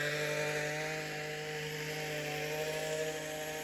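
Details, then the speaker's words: Weed eater found in the garbage, first run after reassembly: constant high-pitched buzzing drone that never drops because the primer pushed the choke on; with the choke off it idled low and died, owner suspects the high and low needle jets need adjusting. "choke was on it's an interesting model where you can push the primer it pushes the choke on so it rubs really high"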